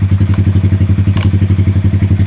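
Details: 2020 Honda Grom 125cc, new clutch, after ECU and TPS resets and relearn fixing rough idle and misfire: even firing about eleven pulses a second, no stumbles or misses; smooth steady single-cylinder idle.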